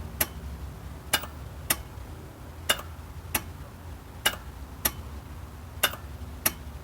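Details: 1997 Geo Metro no-start: sharp single clicks every second or two with no cranking between them. Starter already replaced with a new one and clutch switch bypassed without fixing it; ignition-to-starter wire reported solid and clean; cause still unknown.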